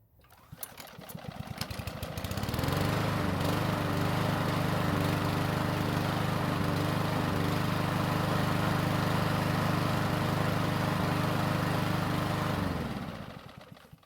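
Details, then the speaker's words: Ariens mower hot restart after about 10 minutes of running at full temperature: a few ragged pulls, then it catches and holds a fast, even single-cylinder idle. The restart is not graceful, but it is a normal hot restart. "So fortunately for us, it did restart, and even though it wasn't the most graceful restart I've ever heard, at least it started."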